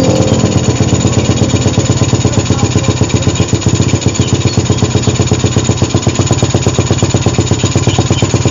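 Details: Suzuki Satria with PE carburetor that was hard to start, especially cold, and stuttered; after a larger pilot jet and new carb rebuild kit, the small single holds a steady, even brisk idle with no misses: normal running.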